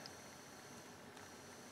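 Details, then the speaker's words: Philips EL-3302 portable cassette recorder after repair with a new tire and a cleaned pinch roller: rewind gives a faint even hiss and a thin steady tone, with no scraping or flutter. Normal quiet, smooth rewind. "nice and quiet smooth rewind fast forward play sounds good"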